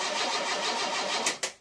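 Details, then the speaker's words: Car first start after repair, having stood from 21.10.16 to 18.08.18: engine catches and runs roughly for just over a second, a couple of sharp pops, then dies to silence; brief start then stall. "Не, нормально все. Он даже проработал несколько секунд."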